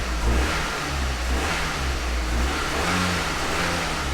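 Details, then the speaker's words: Nissan 200SX salvage car, quick rev from idle to check throttle response; revs up cleanly and settles smoothly, no stumble, not idling rough; normal throttle response. "very responsive it's not idling rough"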